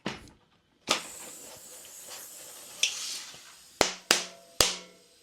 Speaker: that's the sound you want to hear you want to hear that popping after you hear that popping get it to the desired PSI that you want